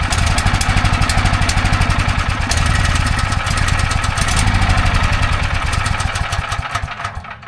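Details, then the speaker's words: Briggs & Stratton 6,250 W gas generator on recoil start, choke on, first warm day, blowing a little smoke: steady rhythmic chugging as the engine turns over but never catches; a fouled spark plug is stopping it starting. "Alright, so as you can see, it's trying to start, but it's just not kicking over."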